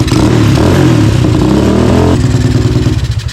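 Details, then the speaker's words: Tao Tao ATV with a newly installed 250cc engine, after tuning, aftermarket exhaust: crisp rev falling to a light popping burble with no backfires; runs well, the burble blamed on the exhaust and a suspected loose exhaust leak. "So I just took it around the yard. It's not backfiring. It's not doing anything stupid."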